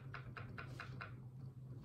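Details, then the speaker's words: Suzuki HG-425e mini grande digital piano: five sharp clicks, about four per second, as keys are played. A counterweight is loose on its pivot rod and rattles, amplified by the MDF base under the key mechanism. "It's a little bit loose and you can hear a bit of a click as the counterweight pivots on the rod."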